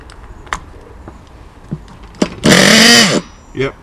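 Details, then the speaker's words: RC nitro car engine unused about a month, hard to start: after pulls it catches under a second with rising buzz then dies; owner concludes fuel vapor burns off and a blockage stops fuel from the tank. "as you can see it started again which means the engine's working fine the fuel vapor in the actual engine is starting but that's starting briefly and that's getting burnt up and no more fuels getting through which means there's a blockage between here and here"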